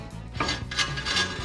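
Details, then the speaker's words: 2009 Chrysler Aspen 4x4 front left after hub bearing replacement; hand-turned rotor gives a dry scrape once per rotation from a bent brake dust shield touching the rotor; straightened to fix. "hear that scraping noise that's our shield so something on our shield is bent and it's touching that rotor there's a little spot right there"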